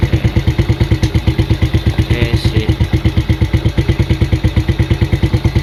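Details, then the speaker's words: Yamaha Vega ZR, unused 3 years, old carburetor internals gummed with stale fuel, just fitted with new NPP aftermarket carb on stock settings: steady even putt-putt idle about three pulses per second, no misses; now accepts throttle, confirming the old carb was the fault. "Kita coba hidupin. Oke, langsung normal ya."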